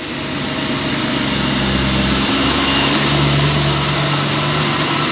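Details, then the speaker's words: BMW E92 M3 V8 with newly fitted belt-driven HSS supercharger kit, first cold start: steady high whine over smooth idle, climbing slightly as revs settle; supercharger whine. "that noise is back we spent all that time getting rid of the supercharger noise to add it back"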